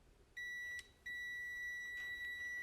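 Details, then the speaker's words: 2009 Chevy Trailblazer 4.2, crank-no-start with P1682: a clean high multimeter continuity tone drops out, then holds steady while testing short cut sections of the suspect wire. Resistance is good, so the break isn't in those sections. "and then I did the same for the section I cut here and the resistance is good so the break wasn't in those short sections"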